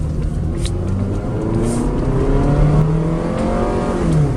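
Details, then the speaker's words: 1999 Honda Accord automatic, run again after sitting about four years, climbing a hill on a test drive. Engine pitch climbs and steps down cleanly at each change; shifts smooth and on time despite separate brake rubbing and rear clunking noises. Normal transmission shifting. "good it's a Honda of course it shifts good"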